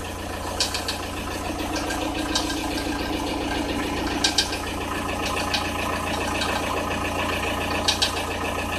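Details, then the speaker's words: Audi A6 C4 1.9 TDI diesel at cold idle, 0–5 °C: steady clatter with sharp uneven knocks a few seconds apart near the timing belt; tensioner rollers fine; fades as the engine warms, cause unknown. "Непонятный звук мотора, неравномерное постукивание. Слышно в районе ГРМ."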